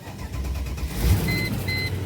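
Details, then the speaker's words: Mercedes ML500 (W163), 121,431 miles, started cold after sitting four months with the battery still good: short crank catches quickly into a steady low idle with a chime beeping; clean start. Check-engine light is on for an evap code and the fuel gauge reads empty. "wow four months is sitting and it started right up"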